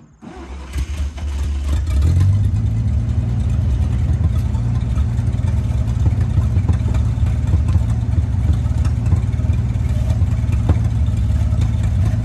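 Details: International 1-ton flatbed truck (stated 1947 or 1949), revived after about 50-53 years, running 12 volts with replacement coil (resistor required but not fitted); catches after brief crank, steady deep even run, no misses or knocks; normal, radiator leaks.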